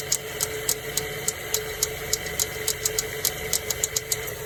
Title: Mazda 3 2007 AC Compressor clicking noise